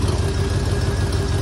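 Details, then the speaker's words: 1976 Mercury Monarch, 351 Windsor V8 with mild hydraulic flat-tappet cam (likely 252H) and C6 automatic, running loud with a rapid puffing chuff from a blown exhaust manifold donut gasket on one side. "It's got a pretty bad exhaust leak on this side. That donut gasket down there is blown out, so here we go."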